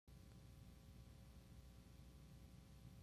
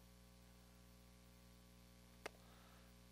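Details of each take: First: Tube guitar amp with nothing plugged in gives a steady low rushing wind-like hiss over a faint hum; traced to a noisy phase splitter 12AX7 tube. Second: Tube guitar amp after replacing a tube with a JJ 12AX7: the wind noise is gone, leaving only the familiar steady low mains hum with one faint click; healthy.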